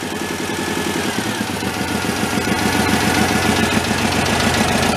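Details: Homemade tractor powered by a 1967 VW air-cooled four with oil pouring from the bottom, started on choke slightly off idle with uncertain-age fuel: even, steady firing pulses at a smooth idle, no knocks or misses.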